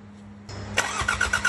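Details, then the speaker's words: 34-year-old, never-used Sabb M4 diesel after its lift pump was replaced with an electric one and its mechanical injection pump rebuilt; a brief crank, then it catches into even firing pulses and picks up speed; clean start. "there you have it after a long and challenging Journey the engine is finally running smoothly"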